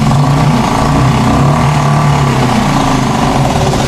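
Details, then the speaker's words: Suzuki 2.5 hp outboard after replacing the broken recoil starter rope; steady, even buzz with no misses, surges or knocks; runs cleanly, normal. "मित्रांनो बघा, ही अशी इंजिनची technique असते."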